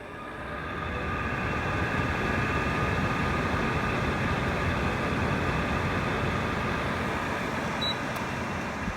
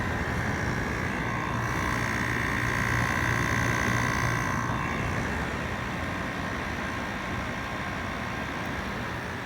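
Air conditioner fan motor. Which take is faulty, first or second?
first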